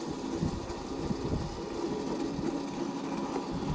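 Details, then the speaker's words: Old electric go-kart, alternator (120A) converted to 36V 500W motor, 36V 18Ah gel lead battery, chain just refitted, first gear: steady low rumbling drone with faint rattly hum; chain transmission noisy, high torque suspected to cause transmission problems. "J'ai remis la chaîne, on va qu'on fait une petite balade vite fait. En vitesse 1. Ça fait du bruit."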